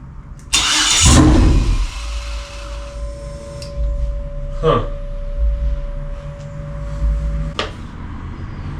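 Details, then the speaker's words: 2003 Yukon 5.3L LS on a stand for a 1994 C1500 swap: cranks, fires on all eight for about a second, then stalls, leaving a faint whine. Won't stay running; plugging in the body control module is tried next. "it won't stay running probably should I mean it's got oil in the engine so it can't stay running too long"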